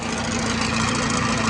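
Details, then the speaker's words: Knocking from the gearbox of a Bomford Falcon hedge cutter on a New Holland T5, heard after a couple of hours of cutting. Oil was changed with no improvement, and the teeth were seen meshing; the gearbox is being removed for inspection. Fast, regular knock with a low hum. "if you can hear that knocking that's the sound that we've got I've just done a couple of hours hedge curing down here on that one looks a bit better than before but that's not going any better since it changed the oil"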